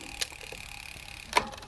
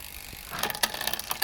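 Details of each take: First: Bicycle rear derailleur during barrel adjuster cable tension adjustment: light freewheel ticking with crisp shift clicks, chain moving one cog up and back down with no skipping; shifting cleanly. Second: Bicycle rear derailleur, barrel adjuster screwed back in but cable still too tight; quick cluster of light metallic clicks as the chain climbs a cog by itself: ghost shifting from overtight derailleur cable.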